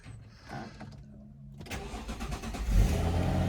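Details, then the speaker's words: Circa-2000 Jaguar S-Type left in a carport for years, first start: brief crank, catches immediately and settles into a steady, even idle; clean start, though engine management light comes back on. "Beautiful. Straight up. Just let it idle for a sec."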